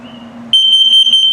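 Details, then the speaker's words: Carbon monoxide and LP gas detector in a 2021 XLR Micro Boost 25LRLE trailer, set off for a test: sharp, high electronic alarm in quick pulses over a faint hum, cycling through the LP and CO alarms. "Now, it'll beep if it detects LP gas, it'll beep if it detects carbon monoxide buildup, and if it beeps very slowly, it's telling you your battery's low. So let me set it off so you can hear the test."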